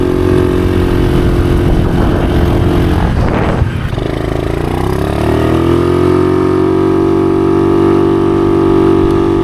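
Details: Honda Navi mini bike just fitted with a Polini short 30 mm pod air filter upgrade: a brief blip, then the small single settles into a steady, even, unbroken idle with no knocks or misses. Healthy.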